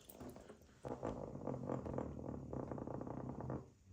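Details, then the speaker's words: Toilet in a long-empty rental property, not overfilling: a weak, sputtering gurgle in rough pulses for a few seconds that trails off; unhealthy gurgling flush, flush mechanism faulty. "Well, that doesn't sound healthy, does it? It sounds like it was like, kill me. It little farts its way back out."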